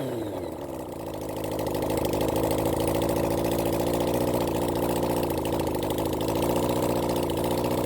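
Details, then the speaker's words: Honda CB400 Four engine on bench run after rebuild during carb balancing: uneven stumbling idle, misfire from one failing ignition coil that also shocked the mechanic. "um you'll probably he this bik got quite a bit of a misfire suddenly it picked up uh it's just a one coil pack here"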